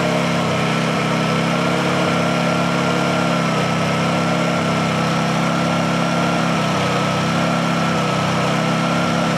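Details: Honda generator on second cold start, with choke: constant, even hum with no hunting or misfire; normal idle.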